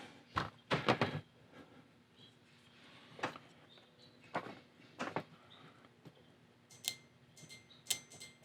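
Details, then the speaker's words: New fuel injector for a 2003-2004 Chevy SSR 5.3L LM4 V8, bench-tested with a 9V battery, gives sharp irregular clicks as it opens and closes normally; the old cylinder 7 and 8 injectors, which caused misfires, stay silent despite good resistance. "yeah i can hear it clicking now with one of these you'll hear nothing"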